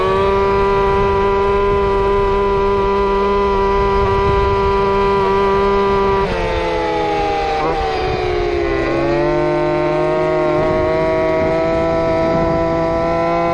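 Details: Two-stroke RC Big Foot, camera chest-mounted, warmed up after fixing motor plate screws rubbing the off-road tire: high steady wail holding pitch at top speed, brief dip, clean recovery; normal full-throttle run.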